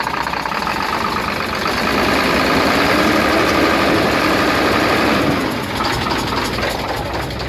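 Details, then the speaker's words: Hino Euro diesel truck at idle, checked at silencer side after repairs reduced misfire and smoke: quick regular chuffing pulse about four a second over clatter persists; compression escaping past failed head gasket. "आवाज आवाज अभी भी आ रही है और छुप-छुप कि आवाज आ रही है जैसे सीटों की आवाज होती है"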